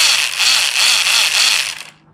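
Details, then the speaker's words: RC car, low gear at full throttle: harsh, gritty high-pitched grinding pulsing about every fifth of a second, then stopping; something in the drivetrain is chewing, and it does not sound good. "That does not sound good."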